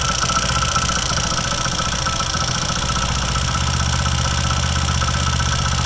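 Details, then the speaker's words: Old-model bike idling with an uneven light rattle about three times a second from the magneto side; a loose magnet in the flywheel. "Magnet तरफ से आने वाली आवास को कैसे find out करें की आवाज किस चीज की है"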